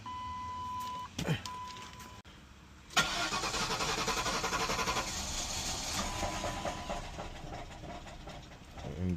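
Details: 2006 Mercury Grand Marquis, new battery, had just cut off; after replacing ignition/anti-theft fuse 24: starter spins quickly and evenly but engine never fires; crank no start. Bad fuel pump suspected, unconfirmed.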